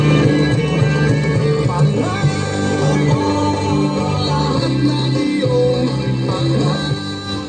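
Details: Bluetooth speaker, brought in because the main speaker gave no sound and only the tweeter played, now playing full music in FM mode with solid bass and clear vocals, not thin or tinny; normal output across the whole range.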